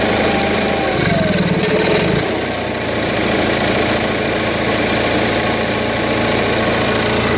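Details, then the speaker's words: Onan 4 kW carbureted gasoline motorhome generator restarted after maintenance: a brief disturbance, then a steady, even hum with no rpm fluctuations; normal idle. "so as you can hear hopefully that's a steady sound steady rpm no rpm fluctuations"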